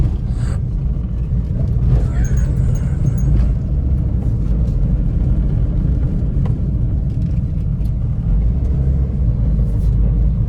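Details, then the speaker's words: Hyundai i10 automatic, about 81,000 km, which had heavy front-left suspension noise. After shock replacement and stabilizer bush replacement, it is driven on a rough road: a steady low rumble with no clunks or knocks. The front suspension is now quiet. "ഇപ്പോൾ വണ്ടി പക്ക സ്മൂത്താണ്. നമ്മൾ rough റോഡിലാണ് ഇപ്പോൾ ഞാൻ ഓടിച്ചുകൊണ്ടിരിക്കുന്നത്."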